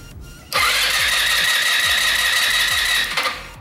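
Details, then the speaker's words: MB RX-150 scooter with high compression: the starter cranks about 2.5 seconds with a steady whirr and even compression pulses but never fires, though it started last time; the spark plug was then found wet with fuel; no-start. "grado esposo está bien fuerte y la vez paso se estaba arrancando y ahorita no"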